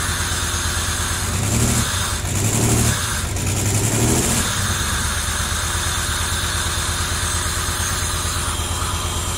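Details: 1990 Camaro RS after 12–13 years sitting, new fuel pump and new plugs, plug wires corrected to firing order, timing not yet set: couple of brief revs then steady even idle, deep exhaust note; normal idle.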